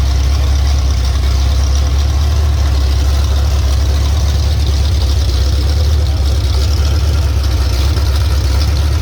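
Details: Ford 351 Cleveland V8 running for the first time on a homemade run stand: loud, steady low rumble with even firing beat, no misses or knocks.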